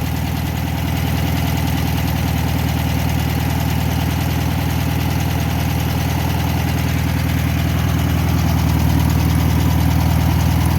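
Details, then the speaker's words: 1962 VW Bus flat-four, probably a single-port 1500 (unconfirmed), which lost power and smoked on a trip; found a spark plug wire off and reconnected it, oil on the high side: steady even fast-idle putter, no misses or knocks; running normally. "So I'm gonna start it up and see what it sounds like. Running pretty good."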